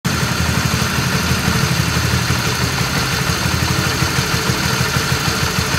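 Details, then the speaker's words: RS150 single-cylinder motorcycle at idle with a rough, busy clatter at about three beats a second ("klotok"); worn, faulty cam chain tensioner letting the chain rattle, before replacement with an original Honda Wave 125 tensioner. "So, today I want to change my tensioner Since my tensioner had a bit rough sounds Like you heard from the early video"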